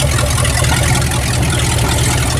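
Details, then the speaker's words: 1967 Dodge Dart, revived after sitting over five years, running on open headers: a loud, deep, rumbling idle with a rough bark, steady and even. Normal running. "it a Roger sounds nasty that's what it sounds like with open heads she's running oh man this is awesome"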